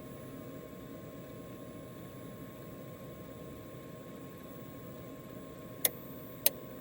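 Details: Caldera spa not heating, two flashing lights: steady pump hum, then two sharp relay clicks as the heater relay pulls in when the pressure-switch pins are jumpered with a screwdriver, pointing to a faulty pressure switch.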